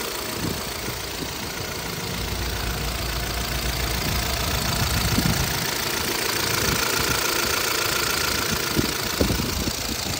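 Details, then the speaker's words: 2012 Chevrolet Cruze LTZ, 229,000 km: uneven knocking about four a second that grows louder as the engine is revved; a replacement cylinder head did not cure it; engine to be opened, cause not yet pinned down. "Nếu mà ga lên thì nó kêu nữa"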